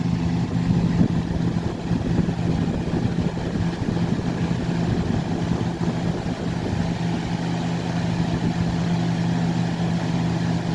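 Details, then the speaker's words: Lasko 3750 box fan (2000–2001, 2.2 A rated, 60 Hz), motor previously seized and now cleaned, running on high at 123 V. Steady low hum, somewhat loud, with no rattles or scraping, drawing 1.9 A, 172 W. Normal fan running. "Running at 1.9 amps, 172 watts. Kind of loud, but it is what it is."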